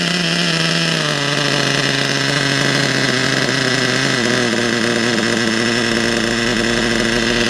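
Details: RC nitro engine, unused about a month, after new glow plug, new fuel and adjusted high, low and idle needles: high buzzy whine holding steady, easing slightly lower, no misses or sputter; running cleanly.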